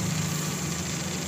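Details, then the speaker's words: Car idling after AC compressor clutch and pulley replacement, air gap set to 0.3–0.6 mm: a smooth, even hum with a solid engagement click and no rattle or grinding. Normal compressor clutch operation. "So ang gagawin niyo lang dapat may tamang spacing no3 to6 mm then dapat naririnig niyo yung lagitik na yun oh para siyang ano yung solid ba yung tunog niya yung talagang gumaganyan oh ' ba ito yung ibig sabihin may space"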